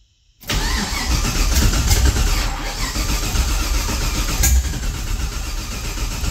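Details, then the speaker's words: 1969 Camaro with LS3 swap on a Holley ECU, first start: catches and runs rough and uneven with sharp pops and bangs over a lumpy idle; ignition timing wrong, basically running on four cylinders. "all right got a whole lot of backfiring sputtering let's double check everything and uh i'll get back with you guys"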